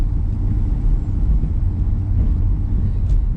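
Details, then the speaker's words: BMW E82 118d diesel rolling along after fixing a squeaking front right brake: steady low road rumble with no high brake squeal. "Yeah, no squeaky brakes there now. That's brilliant."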